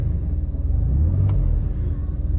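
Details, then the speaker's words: DeLorean cold idle after replacing the faulty oil pressure switch: low, steady, even fast-idle rumble with no tapping or misfire; oil pressure holding around 70 while still a little cold, so the new switch seems to have fixed the problem. "a little cold and we're holding right around 70 so that seems to have fixed the problem"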